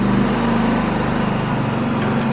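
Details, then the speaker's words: Repaired Champion 4500 W dual-fuel inverter generator, eco mode, 1200 W load switched to full power: buzzing note lifts slightly and holds, even, no hunting or misfire; eco mode idles lower and revs on demand; normal. "What eco mode does is let it idle down a little quieter, idle a little lower, save some fuel. And then when there's demand on it, it takes off."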